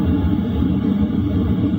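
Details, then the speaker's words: LF Bros diesel heater set to 2 kW, heard inside a tent around 11 p.m.: low, smooth, constant hum from fan and burner with no pulsing, rattle or misfire; normal running. "This is what it sounds like running at 2 kilowatts. At 2 kilowatts, this is the sound you're hearing."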